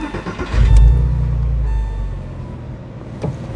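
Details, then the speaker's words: 2000 Porsche 911 (996), flat-six. It catches with a deep burst, then settles into an even, low idle rumble with no metallic ticking or rattle: how a healthy one should sound at idle. "You can see that's how it should sound when we're idling. Let's leave it actually. Start it up. You shouldn't hear any metal noise."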